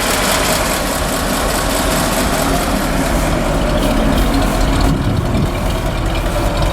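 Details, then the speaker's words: 1952 Ford F4 farm truck, about 42,000–43,000 miles, flathead V8 with mechanical fuel pump and 1-barrel carburetor idling on a cold day, heard from outside: low, even burble with a soft steady thump, no misses or knocks; smooth as silk. "You can see in the back the mechanical fuel pump, 1-barrel carburetor, and she's just as smooth as silk."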